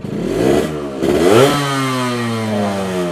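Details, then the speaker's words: Yamaha RX100 97 cc two-stroke, kickstarted, no electric starter: crisp buzz climbs sharply on a blip then settles into an even steady idle, sounding very like an RX King; normal healthy engine, noticeable vibration. "Nah, kickstarternya gampang. Dan suaranya tuh mirip banget sama RX King."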